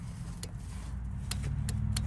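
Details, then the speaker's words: Craftsman T130 lawn tractor, 18.5 hp Briggs & Stratton, crank-no-start: sharp click over a low hum as key turns on, the carburetor fuel shutoff solenoid pulling its plunger in; normal. "that click right there. And that's what lets you know that your solenoid there is pulling that plunger down to allow fuel to go into the carburetor to get it to start."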